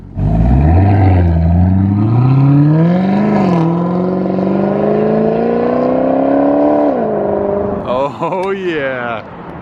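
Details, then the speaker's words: 2018 Maserati GranTurismo V8 with a replacement engine, after the original blew up 50 miles after a flood-salvage purchase, on its first test drive: the deep V8 note climbs smoothly, dips and pulls again with no misfire or knock. Healthy under acceleration. "i say it sounds even better i don't know how it would sound better maybe i just haven't heard it in a long time"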